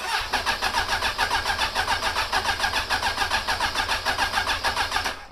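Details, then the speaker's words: 2002 Suzuki Bandit 1200S that won't stay running, cranked with spark plugs removed: even starter whir pulsing about three times a second for five seconds, light and uneven; abnormal cranking, liquid in a cylinder doubted, cause unclear. "all right the way that's cranking i do not like that should not be with that little unless there is a cylinder that's got some liquid in it"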